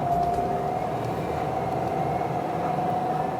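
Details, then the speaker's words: 2011 Renault Fluence diesel, 1.5-litre common-rail, bigger turbo, 105 bhp, recorded in the cabin while driving; steady thin turbo whistle above engine and road rumble throughout; normal turbo whine, nothing wrong. "That's the whine from the turbo that just gives you company throughout your drive on the Fluence diesel."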